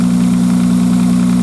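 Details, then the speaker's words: 1995 Nissan Maxima cold start: quick, even light tick over a smooth hum, heard only for about the first three minutes and gone once warm. Owner says it sounds like plastic on plastic; an exhaust leak or tensioner is suspected. "anyways this thing she purrs like a kitten now except when you started up in cold weather I'll get her going here and I'll show you what I'm talking about kind of a tick tick and they got an exhaust leak apparently"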